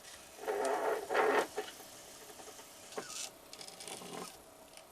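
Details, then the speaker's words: Revived quadraphonic 8-track player during a channel test; all four amplifiers work. Two short scraping creaks, then faint mechanism noise: the cartridge tape is tangling in the transport, and the tape was ruined. "Oh, I think we might have a tangle happening here. I heard a creaking noise there. Oh, yes. Unfortunately, it's ruined the tape."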